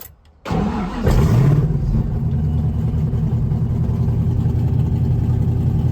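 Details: 1991 Mustang 5.0 LX with a Vortech V-1 supercharger and a high-mileage stock shortblock: cranks briefly, catches, flares, then settles to a steady deep idle; it runs normally now.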